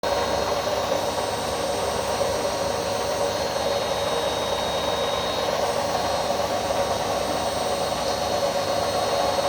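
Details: Indesit My Time washing machine, under three years old, during spin: a steady whirring roar with a faint hum. The owner suspects the drum bearings are just starting to go.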